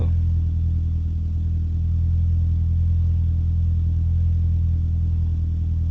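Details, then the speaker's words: Mitsubishi Evo X GSR, E85 flex fuel, Stage 3, after misfire and no fuel-pump prime: deep steady idle settling as temperature rises; loose fuel pump wire suspected as cause, not-priming issue still unsolved; idle settling as engine warms. "Mira, aquí se está se está estableciendo. Aquí se está estableciendo. Ya está subiendo la temperatura"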